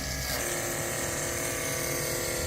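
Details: AC electric boiler feed-water pump on 5 HP steam engine and boiler unit, switched on; steady even electric hum, no rattle or surging, pump running healthy.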